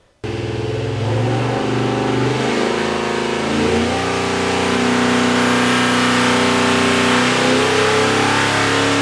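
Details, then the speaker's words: Rebuilt 483 stroker big-block Mopar for a Dodge Power Wagon, after fixing the distributor intermediate shaft so timing stays stable to 4,000 rpm: revs climb smoothly and evenly with no misses or pinging; normal revving. "that sounded really good"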